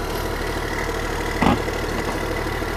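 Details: Long-neglected small diesel excavator: a steady, even low idle rumble with one brief clunk. The engine sounds good, but the throttle and hydraulics don't work, perhaps because of the missing safety switch.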